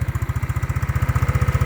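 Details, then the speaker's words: Yamaha Mio scooter for sale, started with a single press of the starter: an even, steady putter of about eleven beats a second with no misses, knocks or smoke. It idles smoothly. "แล้วก็นิ่งครับไม่มีควันครับไม่มีหอน"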